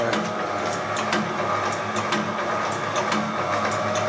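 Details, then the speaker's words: Homemade materials processing machine (copper cutter/can crusher) after silicone spray under a rubber boot: steady run, soft thump about once a second, constant high whine; ran 35-40 minutes without the motor getting hot, air moving over it; normal. "So I was running it like this for probably 35-40 minutes before, and it didn't get hot. Because even running at that speed, you can still feel air moving over the motor."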